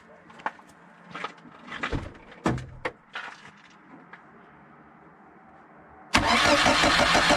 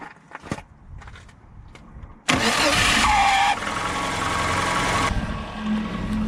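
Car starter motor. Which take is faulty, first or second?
second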